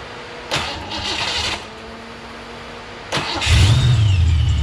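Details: Fox Body Mustang, speed density, first start after fitting a 30-year-old Vortech A-Trim supercharger kit with new oil feed and drain: two short cranking bursts, then catches and settles into a steady, even idle; normal start.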